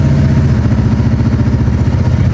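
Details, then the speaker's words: Hot rod on the road about 50 miles into a hot day, piston damage suspected: loud, lumpy exhaust beat stumbling unevenly under load at speed, shaking and hard to shift; clearly missing a cylinder, engine misfire. "you can definitely tell it's missing a cylinder."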